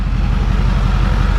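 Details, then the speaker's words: Truck after repair, at idle: low, even idle pulsing with no squeak or ticking; normal idle, the earlier annoying squeak is gone. "oh yes I'm excited the truck sounds good now no more of that annoying squeak"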